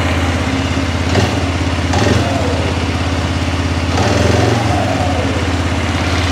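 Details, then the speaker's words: 2006 Arctic Cat 400 ATV after replacing the flywheel rotor to fix a sudden loss of spark, a common fault on these. The single cylinder settles into a steady, even thump at warm-up idle with small rises and no misses or knocking; it runs healthy. "now starting to idle back down a little bit there we go motor sounds good everything sounds really good on it"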